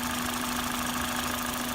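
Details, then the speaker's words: XRS petrol engine after fixing a vacuum leak where the head meets the intake runner, likely the gasket: steady, even idle with a low hum and no high-pitched scream; normal idle. "As you can hear, there's a very clear lack of screaming, high-pitched noise."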